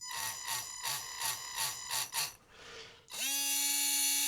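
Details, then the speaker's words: Tamiya Hornet RC car with a Sport Tuned 380 motor: small motor whine with a rough pulsing wobble, then a steadier high whir, rough to the touch and warming; owner suspects it burnt out from running too hot. "Um it it so it feels rough like when you're when it's running in my fingers. It feels like it's really horrible and rough. I don't know how well you can hear that, but it's also"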